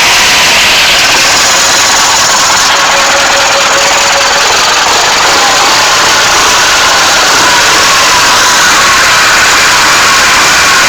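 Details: First start of an SMD-18 diesel engine: constant, unwavering speed with dense, even clatter and no irregular beats; runs normally.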